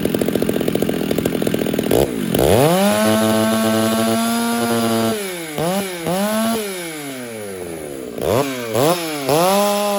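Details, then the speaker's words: Chainsaw (Husqvarna 394 or Stihl 066) on stock chain with swept rakers, mixture fattened after it fuel-starved in an earlier cut: fast idle rises to high scream with blips, slight rich burble; rich tune, four-stroking, cutting better. "now I just basically fattened it up a little bit and you hear that little girdle I'll show it to you again I'll show you the sound it's cutting better now it is"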